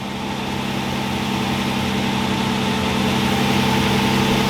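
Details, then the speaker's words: 2005 Toyota Tacoma after belt tensioner replacement, serpentine belt reinstalled: steady, even idle with smooth low hum, no squeal or chirp from belt drive; squeak gone — normal idle, quiet serpentine belt. "Alright, no more squeaking. Belts sound good. Truck's running nice."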